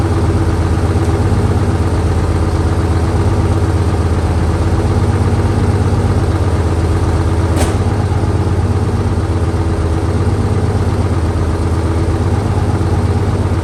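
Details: 1968 Dodge C500 truck on a cool, humid day (about 40–55°F), started via jump from another truck and starting fluid: deep, even idle with a steady low thump about three per second, no knocks or misses; running fine.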